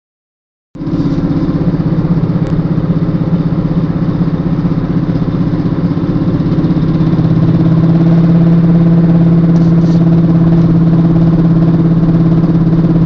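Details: Volvo S60 R: loud steady low drone with a fast pulsing throb from the rear end, growing louder partway through; cause unknown.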